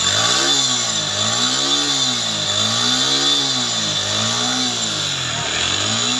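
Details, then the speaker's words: Suzuki Gixxer monotone, recently bought second-hand, had an engine sound problem, low top speed and light smoke. After carburetor piston work, the single cylinder revs rise and fall smoothly, crisp and even with no knocks. Normal engine running. "তো তারপর এই যে দেখেন এখানে carburettor পিস্টনটা এই তো দেখেন গাড়িটা ওকে হয়ে গেছে, সাউন্ড শোনেন।"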